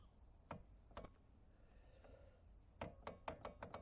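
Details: Porsche Boxster 986: hollow, woody knocks from the loose rear spoiler rocking on a slack securing bolt; trim (wrongly riveted) removed to reach and tighten the bolt.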